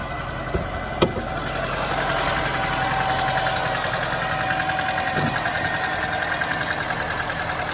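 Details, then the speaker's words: Mercedes-Benz W212 with M271 engine at idle, oil level full. A light, quick ticking comes from the top of the engine as the hydraulic lifters knock again; the owner suspects antifreeze is getting into the oil after topping up coolant three times. "По сути, проблема с гидравлическими толкателями клапанов снова возникла. Они снова начали стучать."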